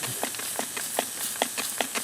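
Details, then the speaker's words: Kubota L3301 tractor rim leak at 35 psi after first-time MIG welding, weld still hot: soft hiss with sharp little pops about every half second; air still leaking through the welded seam on the steel rim. "all righty welding so if that don't fix it i'm in trouble [Music] still got a leak right there and right there it's still hot"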